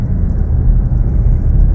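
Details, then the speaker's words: Henry's Datsun, an estimated 120,000 km, after repair of a noisy diff, road test at cruise: only steady low road rumble, no whine or howl rising with speed; differential now quiet and healthy. "Would have been howling by now. I think we've got it. You'll be happy. He'll be happy now. Yeah, you can't even hear it. That's how it should be though."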